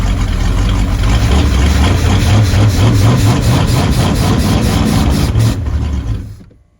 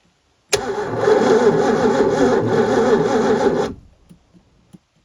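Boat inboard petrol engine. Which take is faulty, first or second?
second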